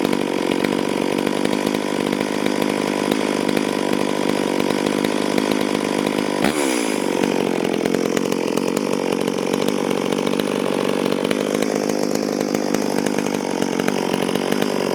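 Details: Stihl MS440 chainsaw, owner reported it down on power, test run before port work, cutting wild oak on the ground a few years: high steady two-stroke scream dipping only slightly under load; self-feeding, pulling good chips, normal cutting under load.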